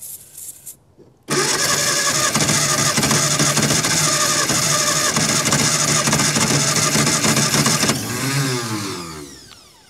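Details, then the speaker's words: Barn-find 1954 Austin A30, laid up since 1971, first start attempt after earlier failure from no compression: long steady cranking whirr with a few uneven catches that fire a couple of times but never pick up into a run. "f a couple of times isn't it yeah it's trying"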